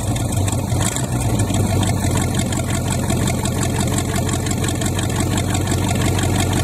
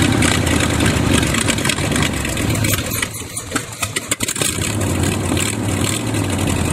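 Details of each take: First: $200 used Chevy 350 small-block V8 run on an engine stand, cold start: deep, steady idle staying even with no misses or knocks, little smoke seen; running healthy before warm-up and block flush. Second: $200 used Chevy 350 small-block V8, apparently rebuilt before, on an engine stand at first start: uneven idle, surging and stumbling with no steady beat; dirt found in the carburetor, idle circuit tubes likely plugged, needing thorough cleaning.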